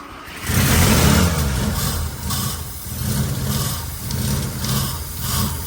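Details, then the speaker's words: 1985 Mazda RX7 on fresh fuel with two-stroke oil mixed in at 40:1, with an improved fuel pump; runs only while throttle is tapped and fuel primed, surging about once a second. Fuel not yet reaching the injection system; cause not confirmed. "all right give it gas just keep on tapping it it's running I don't know if it's going to run on its own though"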